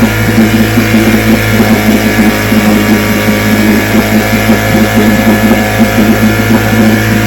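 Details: Vintage two-stroke outboard (restored then repaired), Tuesday 5-minute run, started after extra primer pumps; steady, even popping at a constant fast pace, no misses or surging, ran good.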